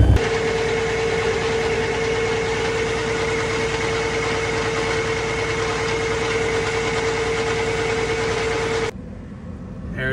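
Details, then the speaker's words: Cummins ISX diesel truck idling with the hood up: a loud, constant whistle over the idle until shutdown, from boost air escaping at a broken intercooler, after a turbo failure. Boost leak. "not sure if y'all can hear it but check it out got a boost leak boys and uh standard cooler"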